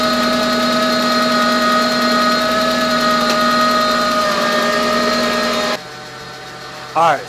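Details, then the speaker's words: Volkswagen B5 idling just after first start in 1.5 years, primed with oil after the starter was changed: light quick ticking, clearly a sticky lifter from sitting, plus a steady high squealing power steering pump whine. "anyone familiar with cars or volkswagens from this generation has that squealy power steering pump that i forgot about oh no there's no tension on the ground so you won't hear it but you can hear it uh sounds like clearly a sticky lifter from not running in a year and a half"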